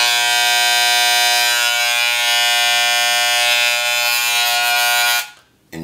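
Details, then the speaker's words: Wahl Senior hair clipper; loud, harsh high-pitched steady buzz that cuts off, caused by the power screw turned in too far; turning it sets clipper power. "now let me explain to you what that sound is and why that happens okay now here's this little screw right here is very important this screw is your power screw"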